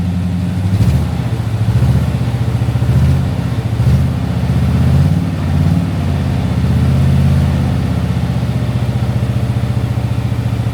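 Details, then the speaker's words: Daimler Majestic Major Hemi V8 limousine, just started and still a bit cold: deep, even burbling idle with steady low pulse, no misses or knocks; healthy big V8 idle. "I can only describe the Hemi and the big yank tank V8 is more of a gurgle the Rover V8s don't mak"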